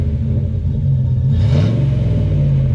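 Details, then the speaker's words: V8 SUV after tune-up and throttle-body cleaning of rust and carbon: quick throttle blip swells cleanly and drops straight back to steady idle, all cylinders pulling, debris blowing from exhaust; normal free rev. "Let's hear the exhaust note here. Let's see. Give her a little blurt, Bobo."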